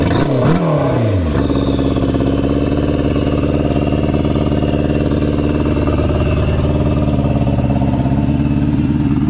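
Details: 2003 R1 with a homemade turbo setup (TD04L-13T from a Subaru WRX), first startup on modified injectors. After a rough catch it settles into an uneven, lumpy three-cylinder beat because one injector is not firing.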